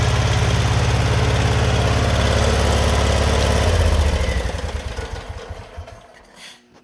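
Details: Generac GP15000E generator running after stale year-old ethanol fuel was drained and replaced; even low drone near three beats per second, then winds down and stops; running normally.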